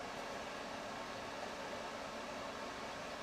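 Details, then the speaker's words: Suburban RV furnace after wall thermostat replacement: clicks on, then a steady, even airy rush with a faint low hum and no rubbing or rattle; blower running normally, propane status unknown. "I hear it clicking. I don't know if she has a propane on or not, but it's running, it's working."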